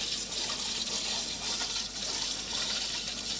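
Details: 1986 RainSoft Q2 water softener: steady high hiss of water rushing evenly through the valve, no chatter or surging; regeneration water flow sounds normal.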